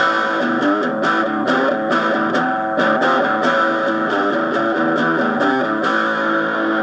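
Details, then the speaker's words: EarthQuaker Devices Blumes overdrive pedal after replacing the IC that builds the negative voltage, which read 0.6 V instead of about -8 V. Clean, full guitar chords through a small amp with no hum, crackle or dropouts; now working. "I'll see if it works or not. And it's working."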